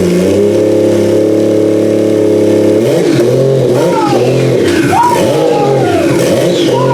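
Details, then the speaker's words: Toyota 1JZ engine for a Nissan 350Z swap, first start on a stand with a newly arrived ECU. Smooth, even idle with a steady hum, then clean free revs that rise and fall crisply; engine sounds healthy. "but we know that it runs and it's alive and it sounds very very healthy"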